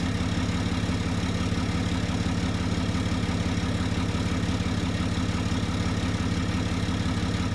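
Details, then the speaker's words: 2013 Ram 2500 6.7L 24-valve Cummins diesel, about 90,000 miles, after replacing the turbo (VGT actuator failed) with a BD Screamer HE300VG: a steady, smooth diesel idle with no misses, knocks or whistles. "I'll get a quick start up here for you guys so you can hear the 6.7 Cummins run."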